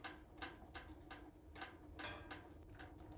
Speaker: if you listen real closely you can hear the pinging of the metal expanding in the Firebox and now it's really starting to go you can hear that pinging increase in speed